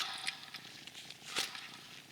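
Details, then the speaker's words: Removed alternator from a 2004-2008 Acura TSX/Honda Accord, still charging but failed; a dry gritty rasp as it is turned by hand, its bearings are shot. "you can hear this thing those bearings are shot"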